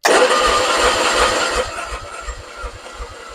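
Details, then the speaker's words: 1966 Triumph Spitfire MK II, off the road 41 years, first crank attempt: catches with a loud rasp, then slow uneven chuffing while cranking; huge hole in the exhaust. "what was that there's a huge hole in the exhaust right here go ahead"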